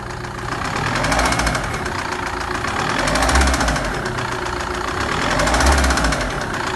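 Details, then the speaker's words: Hyundai Terracan 2.9 diesel running: hollow, uneven piston-skirt-like knock about three to four per second that swells with revs; cause was a loose cylinder liner, fixed by re-sleeving the block. "essa terra can aqui ela parecia um forte barulho no motor né um barulho de saia de pistão batendo e como eu bem falo aí no vídeo o problema era aqui ó era a camisa do cilindro que tava folgada"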